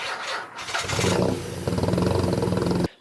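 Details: 1991 Nissan 300ZX V6 idling lumpy and uneven, missing beats as several cylinders fail to fire; ignition faults were a cut harness, a shorted PTU and a popped ignition coil.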